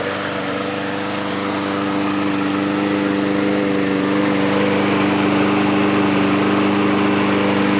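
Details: Yard-Man push mower, previously surging after sitting at least two years, after carb cleaning, new parts and blade sharpening: small engine holds a steady, even drone, no surging or hunting; runs smooth and healthy.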